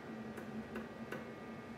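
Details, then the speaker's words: DIY CNC mill spindle pulley rocked by hand before turning, giving three sharp, evenly spaced clicks from backlash between the pulley and the spline shaft on a Gates Poly Chain GT belt drive. "you can hear it clicking before it starts to turn this will be important later for when we add that encoder that's going to actually track how the spindle is moving"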